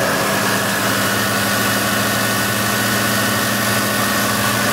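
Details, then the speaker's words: 2003 Chrysler Town & Country (Voyager/Caravan type) front wheel hub bearing after replacement, wheel torqued to 135 N·m: smooth, steady hum with no growl rising with speed; the position that was loudest before is now fully quiet. Normal wheel bearing. "Amigos, el 1 y ahora el 2 le quedó poquitito ruido. Es casi nada, pero el 1 quedó exactamente al 100%, que era donde estaba el mayor ruido, miren."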